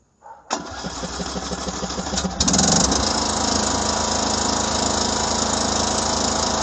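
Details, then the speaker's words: 2009 John Deere LA105 lawn tractor, cold first start after tune-up and fuel system purge: pulls over, catches after a couple of seconds, then a steady even idle with no misses; runs smooth, much improved. "okay now it's running good smooth it idle"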